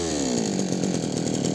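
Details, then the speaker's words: Yanmar (Kyoritsu) 209D small two-stroke engine, restarted without choke after flooding cleared: revs drop briefly then settle into a steady, even popping idle with slight hunting; normal, idle stable. "โอเคมันก็จะติดได้แล้วะนะครับแล้วมันก็นิ่งด้วยมครับนิ่งหมายถึงรอบนิ่งนะครับ"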